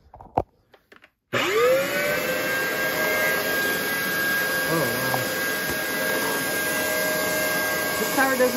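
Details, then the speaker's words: Shark vacuum motor, possibly water-damaged, possibly locked up before freeing: spins up into a harsh, gritty whine with a thin steady tone on top, smells of carbon; motor worn out, failing. "oh that didn't sound good did it even turn on yeah that sounds terrible I think it was locked up"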